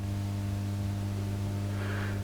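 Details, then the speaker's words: Marshall JTM45 Super 100 guitar amp, believed late 1965: loud steady low mains hum with a buzzy edge, hugely increased when a test ground cable links two grounding points near the preamp and filter capacitor negatives; ground loop hum. "but putting this cable across makes the home massively more massively larger"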